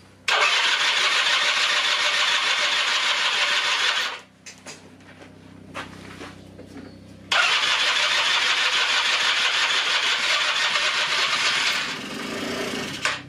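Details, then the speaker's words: 1996 Rexy 50 two-stroke scooter, barn find unstarted for 13 years, NGK B8S plug, starting spray used: two long cranking spells of about four seconds, engine only briefly catching and never running on; carburetor then removed. "gut also er ruckt kurz an hab das dreimal geschafft dass er kurz anruckt"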